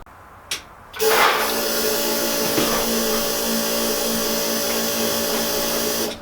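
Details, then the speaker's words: Subaru EJ205 swapped into a Honda CRX, fuel system re-pressurized after replacing a pinched injector O-ring: steady electric whir for about five seconds then cuts off; fuel pump running normally, no leaks. "Okay, so far so good on the fuel system. I'm honestly kind of shocked."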